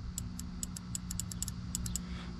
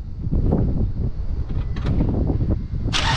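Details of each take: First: 2005 Scion tC 2.4 Toyota with a no-start: the starter relay is energized with a test probe across its contacts. Sharp irregular clicks repeat over a low hum, so the starter relay works normally. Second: 2005 Scion tC 2.4 Toyota no-start: relay and battery tested good; sharp hammer taps on starter, brief crank, engine catches to steady idle; dead spot inside starter motor, starter to be replaced.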